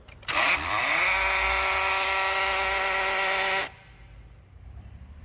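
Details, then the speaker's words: Honda Fit said to run weak and misfire: a loud, harsh mechanical whir lasts about three seconds at key-on, then stops, with no noise later at idle. Grinding electronic throttle body gear suspected, not confirmed. "e olha o barulho de motor que o cliente falou que o carro tá fazendo"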